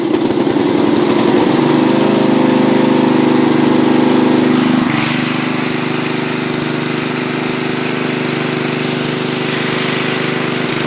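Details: Racing tractor's engine running almost on pure Seafoam (added to crankcase, oil and intake): thumps at about three and a half beats a second, revs drop near five seconds, keeps running evenly; runs okay.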